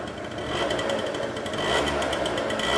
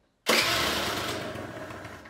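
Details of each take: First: Two-stroke scooter after carburetor adjusted step by step: light, busy idle with fine rattly buzz holding steady without dying or surging; mixture sounds set right. Normal idle. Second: Two-stroke scooter during carburetor adjustment, idle screw backed fully out: catches with a sharp crackle, then fades and dies within two seconds as it cannot hold idle. Stalling idle.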